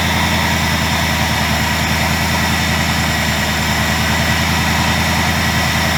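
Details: 2000 Ford Mustang GT with a Lincoln Mark VIII 4V swap engine, idling after key-on start following fixes for sputtering (idle air control change, ECU board cleaned with electrical cleaner). Deep, even V8 burble, steady with no misses or sputtering: normal idle.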